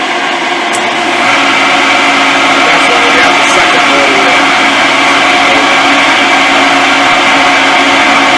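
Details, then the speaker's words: Shop phase converter electric motor before bearing replacement, spinning up into a loud steady howl with rough gritty undertone from worn bearings; new bearings bought to fix it. "that'll give us a comparison because right now these motors just howl there's the first motor"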